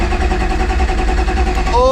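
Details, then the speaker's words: Mazda MX3 with fresh bored 2.5 engine, forged block, billet rods and pistons, custom cams, new turbo kit, first start after priming: steady even chuffing while cranking, compression strokes alike, then catches; compression healthy, runs rich with vacuum leaks. "the compression sounds amazing let's go"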